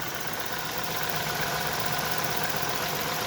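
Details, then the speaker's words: VW Tiguan 1.4 TSI cold idle after new firmware disabled catalyst fast warm-up, fixing the cold-start misfire: steady, even hum with no stumbles or skipped beats. "Ось таким чином ми побороли даний дефект. Машина у нас повернулась до правильного робочого стану."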